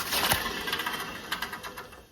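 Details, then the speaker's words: 2014 BMW F11 520d M Sport, front hub with disc on spun by hand: dry, gritty rustle with scattered ticks, no smooth spin; wheel bearings unexpectedly worn, passenger side worse; replacements ordered. "But the unexpected thing is the wheel bearings. I'll just put a clip now of how they sound being spun with the discs on. So that wheel bearing is not good. And then passenger side, even more not good."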